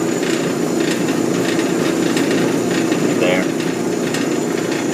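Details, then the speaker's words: Old Maytag natural-gas dryer (model CDG46, 18,000 BTU), after replacing the high-limit switch (210°F to 250°F), dryer switched on with the door shut: steady rushing burner roar over soft drum tumbling, flame holding without cutting out; nice flame, heating properly. "I'm going to kick the dryer on and and uh make sure it fires shut the door I think it's got a safety turn it on oh yeah so nice flame"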